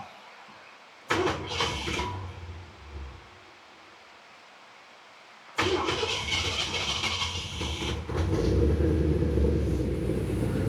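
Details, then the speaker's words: 1967 Mercury Monterey just fitted with new spark plugs: a few cranking bursts, then it catches and runs with an uneven, lumpy beat that never settles; still running rough, maybe it'll come around. "It's still, I don't know, maybe it'll come around. It just still doesn't seem very happy."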